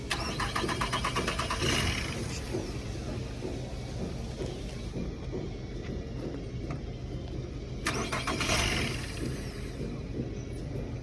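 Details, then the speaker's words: 2009 Nissan Altima at a tow auction, started with key: repeated cranking bursts where the engine catches briefly, sputters unevenly and falls back, unable to hold a steady idle; sounds like it's starving for fuel, cause not confirmed. "She is starting up. Sounds like it's starving for fuel. It's trying to start up."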